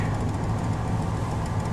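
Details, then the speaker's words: 1970 Ford Torino GT V8, stone cold at low-to-mid 30s °F, on automatic choke after two pumps: deep steady even rumble, no misses or stumbles; normal cold idle. "Starts like a new car practically. 2 pumps and set the choke and it'll start right up."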